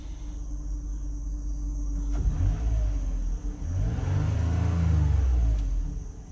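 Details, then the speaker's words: Likely a 2007 Toyota Highlander after several rattle sources were fixed, revved up and down: smooth deep exhaust note with no tinny buzz or rattle; the problem is solved, and a small exhaust leak may also have been fixed. "all right as the rpms rise and fall no noise at all all right problem solved"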